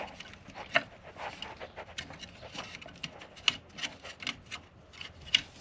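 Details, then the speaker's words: Kawasaki ZX7R radiator fan on a bike neglected at least 16 years: faint, irregular dry scraping and rasping with no smooth whir; fan doesn't spin properly. Cause unconfirmed. "Yeah, the fan doesn't even spin properly."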